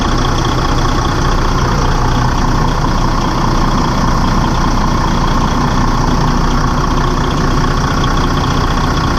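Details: Detroit DD15 diesel just after serpentine belt replacement, started to check belt stays on: steady deep idle, even beat, no belt squeal or slapping; smooth and consistent.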